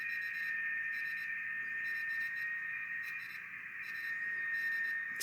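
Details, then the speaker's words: Rebuilt BITX40 transceiver tuned to 7074 kHz FT8: steady hiss with a clear high-pitched tone and faint warbling data tones, no hum or crackle; receiver working properly. "let's try tuning a signal we know we'll be there which is uh our our frenemy ft8 so let's just move the rf over to 7074."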